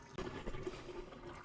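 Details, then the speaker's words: Drain line after a clog was found while checking for a leak: a steady rushing gurgle as water runs straight through, with no backing up or choking; the drain is flowing freely. "It's clearing through. I mean, you can hear it. It's clearing through. I don't think it's stacking on water."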